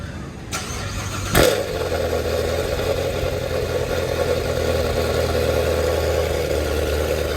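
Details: C7 Corvette Z06 V8 after Hennessey 850HP install (heads, cam, exhaust, intake, custom catch can): starter cranks briefly, catches with a sharp bark, settles into steady lumpy idle; healthy first start.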